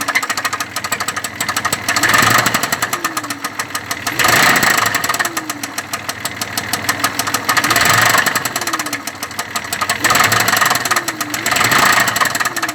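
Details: Engine knocking: sharp irregular knocks about three per second over a steady idle, inside the engine; source not pinned down, cause unconfirmed.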